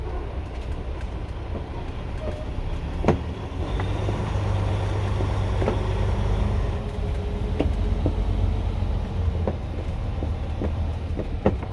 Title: 2022 Renegade XL knocking noise 2